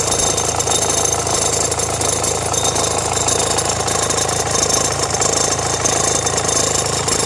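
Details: Renault Megane 1.5 dCi diesel at idle with radio, rear window heater and blower on: loose, uneven rattle from front accessory drive; belt and tensioner already replaced, noise stops with AC on; owner suspects alternator or AC compressor.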